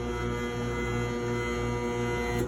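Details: Insignia electric dryer NS-FDRE67WH8A: motor hums and buzzes but the drum won't turn; board resets don't help, and the proper fix is replacing the motor.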